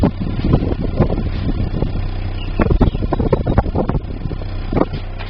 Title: DAEWOO NUBIRA 1999-MISFIRE, 2.0L (DOHC)